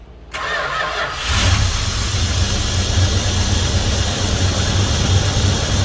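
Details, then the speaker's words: 1971 Dodge Coronet police car, 4-barrel 383 big-block V8, after sitting since the early 1990s, new plugs, wires and oil, wheels chocked: catches quickly, smooth even idle, "purrs", no knocks; 60+ psi oil pressure, owner calls it a healthy motor. Normal idle. "and it's still running 60 plus PSI of oil pressure which is awesome that's an indicator of a good healthy motor good Cam Bearing"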